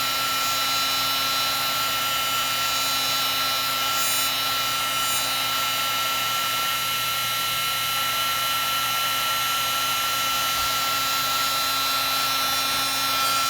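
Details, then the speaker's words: Heat gun used for heat-shrinking wiring on a Honda Monkey Yoshimura fender eliminator install: constant high fan rush with a gritty grinding undertone; owner suspects the fan is rubbing, after having taken the gun apart. "Okay. That doesn't sound that great. It's just hear a little bit of a grinding sound."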